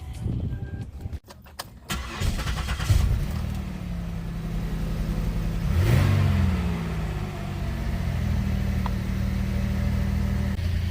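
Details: 2008 Buick LaCrosse 3.8 with an aftermarket sound system, in an alternator and capacitor discussion: starter cranks briefly, then the engine catches and settles into a steady, even idle with no knocks or squeals; normal engine start.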